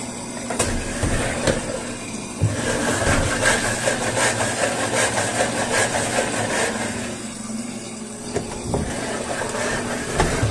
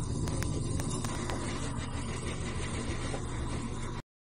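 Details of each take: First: Washing machine (customer reports loud noise on spin cycle) with the basket turned by hand: uneven scraping and clattering that only occurs when the basket moves, from a foreign object trapped between basket and tub. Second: Top-load washer spin cycle after a loose fabric-softener dispenser part that had fallen into the basket was removed. Steady low rumble, spinning smoothly, no knocking or rattling left.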